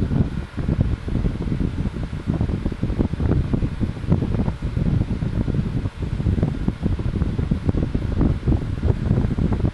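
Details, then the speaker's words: Stand fan, apparently 2004, model SSF, on high speed with green-blue blades; only fault found was a dirty plug, and it starts strongly. A strong, steady whoosh of air with a low even hum, no rubbing or rattle. Normal running. "but look at how powerful this thing is this is on high speed it's got the old green blue blades"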